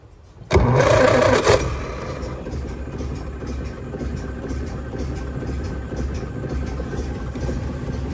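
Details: Austin 7, seized and not started since 2007, freed up with fresh petrol and water: fires with a short burst, then settles to a steady, even low chug and smooth idle with no knocks; runs healthy.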